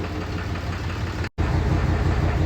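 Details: 2011 Dodge Ram 3500 6.7 Cummins diesel idling with an uneven stumbling clatter, misfiring on cylinders 1 and 2 from dead injectors; white smoke on acceleration and more shaking in the morning.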